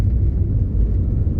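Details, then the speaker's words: Audi TT Mk1 after repair, driving at village speed limit: deep even rumble with no turbo rattle or whine; earlier noise blamed on turbo bearing was actually an air leak, now fixed. "there's no rattle from the turbo there's no wine from the turbo"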